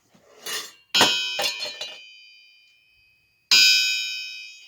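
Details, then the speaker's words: Mopar 360 crankshaft tapped lightly on a wood floor gives a bright, lingering bell-like ring that fades slowly, meaning the crankshaft is sound with no cracks; a thud would mean cracked. "all you gotta do tapping like that your rings like that you're good shape no cracks"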